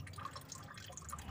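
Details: Honda Civic Wonder with a rough engine noise and coolant pouring out like a waterfall from the water pump, whose bearing does not turn smoothly: irregular drips and small splashes, engine off; coolant leak.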